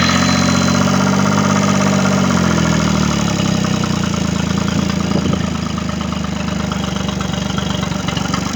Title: Triton Mercury 25 hp No start issue, Final Running 2 3 25